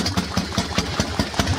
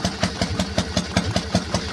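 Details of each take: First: Harley-Davidson Panhead V-twin with SU carburetor, idling: light regular tapping about five times a second over a loping idle, the carburetor slide smashing up and down; SU dampers need oiling. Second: Harley-Davidson 1200 Panhead V-twin, twin plugs, single-fire ignition firing both pots together, belt drive, warming up: even loping idle with crisp firing pulses about five a second and light valve ticking, a healthy, steady real Harley sound.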